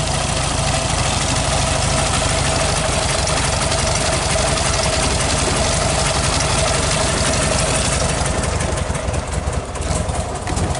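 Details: 1969 VW Beetle 1500cc air-cooled flat-four idling after a cold start with a bit of choke; even, chattery idle with a steady low beat and tappet clatter; runs smoothly, normal idle.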